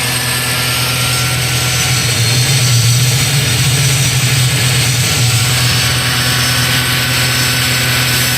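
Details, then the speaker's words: Iveco alternator with overrunning (freewheel) pulley that had been slipping, on test: heavy, steady drive hum with even low drone, no slipping or dropouts; pulley did not slip this time, alternator charging normally under load. "Bom, pessoal, agora todas as vezes está carregando. A polia não quis patinar agora na hora da carga."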